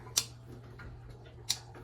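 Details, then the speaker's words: Yonex Percept 97 racquet with worn strings: main strings snapped back give two sharp, bright clicks as they drop into notches worn into the cross strings, a sign the strings need replacing. "okay the main strings are the most important you see as I snap them back they click also as they go into their Dent or or like a pre Notch that's been formed on the cross"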